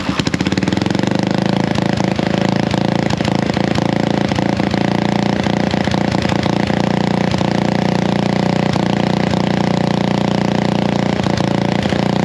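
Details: Honda XL175 dual-sport single idling before the muffler is cut and refitted: a loud, raw, popping idle with a hard, unmuffled bark on each firing. The homemade muffler barely quiets the exhaust.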